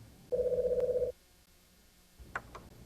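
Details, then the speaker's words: Executone IDS telephone system operator terminal, circa 1990: a warbling electronic ring of about three-quarters of a second, then quiet and a few clicks as the release key answers an incoming call. "wasn't that easy the telephone rang and it took only a quick touch of the release key to answer the call"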